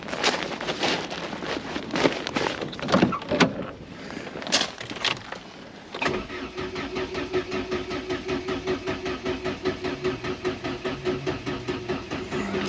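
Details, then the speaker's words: Mk3 Astra 1.4, 102,000 miles, parked since 2018, battery checked charged: starter turns the engine over in a steady rhythm, about two and a half pulses a second, but it never catches; cranks without starting. "okay then don't startop [Music] okay interesting nor spark gauge isn't moving at all"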